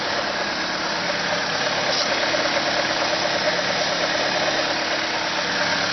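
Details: Car engine with a steady, fast, even idle hum that holds high without settling; it revs up at cold start and in P or N until shut off. Owner suspects a vacuum leak; carb cleaner spray test found none.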